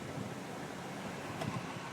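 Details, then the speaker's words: 2001 Dodge Ram 1500 with manual controls after aftermarket A/C blower motor replacement (old one sluggish on all speeds): steady even rush of air on medium, no ticking, scraping or wobble; blower working normally. "you hear the high blowing finally blows high before it was working real sluggish like at high speed it seemed like it was on very low"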